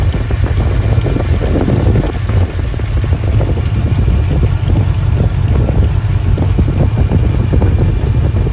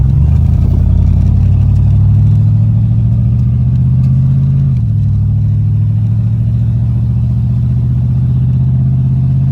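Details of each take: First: 1983 Capri V8 with factory cast exhaust manifolds, apparently no gasket, idling: deep rumble with rapid uneven puffing tick; air felt blowing hot at the manifold, exhaust manifold leak, later welded shut. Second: 1983 Capri V8 with factory cast exhaust manifolds, after welding shut the exhaust leak: a deep, even rumble with no ticking or puffing, leak fixed.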